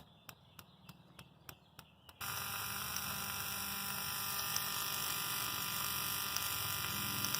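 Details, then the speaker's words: Honda Insight with swapped K24 engine on a Speeduino ECU, spark plugs resting on a grounded bar: sharp, even spark snaps at a steady rate, then high buzzing. The coils fire correctly. "So I got the plugs just sitting on that bar that's grounded, and it's pretty cool."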